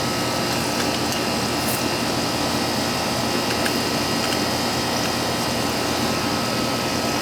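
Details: Old Amana R-22 AC condenser after replacing the bad contactor and weak capacitor: steady fan rush over an even compressor hum, no buzzing, chattering or surging; normal running.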